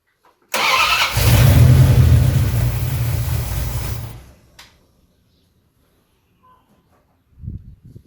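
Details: 1973 Dodge Charger, Mopar 361 big block with new flat tappet cam and new Proform 750 carburetor, idle turned up, cranked by remote starter: steady four-beat-a-second crank for about three seconds, never catches; carburetor bowls still dry, no start.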